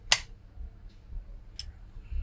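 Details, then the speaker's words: DAS18A 750W Class D amplifier board from an active speaker, powered up through a current-limiter bulb: one sharp relay click at switch-on as the bulb lights then goes out, then a quiet low hum; normal relay click at power-up. "well the bulb came on there and then went out we heard the relay click"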